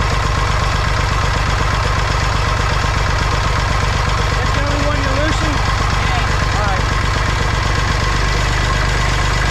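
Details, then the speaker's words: Massey Ferguson 35 tractor, Perkins A3.152 three-cylinder diesel, after head gasket replacement for an oil leak; warmed to full operating temperature after high-rpm runs. Steady, even diesel knock at idle with firm regular beat, no misses; no leaks so far, healthy. "all right she runs as good as she looks now i just ran her up and down the street a bunch of times at high rpm got the engine to full operating temperature so far no leaks so i think we'll be all right"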